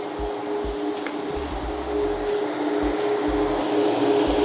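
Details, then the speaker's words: 1967 Pontiac GTO electric radiator fans running after a bad ground was found and fixed: steady whirring hum, even pitch, no rattle or scrape; normal fan operation. "well you're never going to guess what it was just not a good ground which I'm not surprised"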